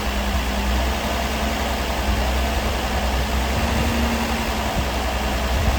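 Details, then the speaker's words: 1978 Datsun 280Z fitted with 240Z carburetors, untuned, no vacuum leaks, rocker arms set loose, EGR tube exhaust leak plugged: smooth even idle with steady low rumble, no stumbling, ticking or hunting; running cleanly without shaking. "The engine's also running super duper smooth. If you had your hand right here, it wouldn't even be shaking or nothing."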